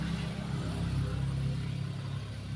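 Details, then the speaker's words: Toyota Kijang 5K carburetor (eco mode), after a coin adjustment, with power jet 90, pilot jet 60, primary 130 and a 90 accelerator-pump nozzle: low, even idle with a soft steady hum, no misses or hunting, quieter than before. Smooth idle. "setelah pembenaan koin Alhamdulillah langsamnya lebih tidur ya lebih senyap lebih tidur"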